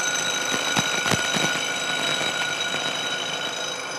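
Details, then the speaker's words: Milling machine taking a pass along a thin, long part clamped in the vise and cantilevered out of the jaws: steady high ringing whistle over the cutting hiss grows as the cutter nears the overhanging end; chatter from the overhanging workpiece vibrating. "along here this cut was proceeding pretty well but as we get out towards the end of the part that is candle levered out of the Jaws you can hear more and more vibration and you can imagine that that gets worse and worse as the part gets longer and longer"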